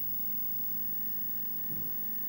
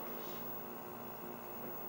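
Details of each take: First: Nintendo arcade cabinet with 20EZ audio, volume pot moved and JB connector removed from remote board, volume fully down: near silence with faint monitor hum and thin whine; amplifier hum gone. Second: Nintendo Mario Bros arcade cabinet, 20EZ audio amp, volume near normal (~28 dB meter): faint constant low hum with light hiss, still plainly audible; mains hum, ground loop suspected but unconfirmed.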